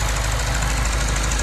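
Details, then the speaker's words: Lexus IS-F 2UR-GSE V8 first start after timing chain, tensioner and guide replacement: steady idle, timing chain area silent, fast light even ticking from injectors and high-pressure pump is normal; tensioner slightly noisy at low rpm. "this is so quiet I can't hear anything from the timing chain area the loudest thing I can hear are the injectors"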